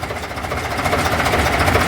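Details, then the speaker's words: Routemaster bus RM1009's AEC diesel idling with heavy vibration; loud, rapid, steady clatter with a firm even beat, no misses or stumbles, sounding very different from a Cummins; normal healthy idle. "Sounds, hey, there we go. Sounds very different from the Cummins engine. Oh, marvellous. Look at the vibration."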